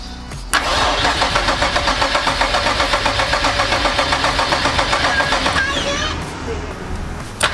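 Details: Nissan 370Z swapped with a VR30 (Q60S) engine and a new Hellcat 525 fuel pump, after fuel-system wiring and relay work: steady starter churn about four beats per second, fuel smell but no catch. Crank, no start.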